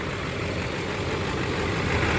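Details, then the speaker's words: 2007 GMC 2500 HD LBZ Duramax diesel just after a full EGR delete with new crossover pipe and 3-inch hot-side pipe: deep steady diesel clatter at idle with no misses, hunting or odd knocks; runs good. "And then, well, she runs good."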